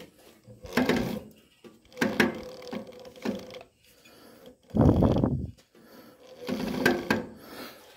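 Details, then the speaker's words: Massey Harris Pony tractor with 18 hp Briggs opposed-twin engine: irregular half-second creaking bursts as the belt is pulled by hand; owner suspects belt too tight on cheap pulleys, may loosen pulley; drive belt creak. "I feel like I have this too tight. So, because I can hear the belt creaking when I pull"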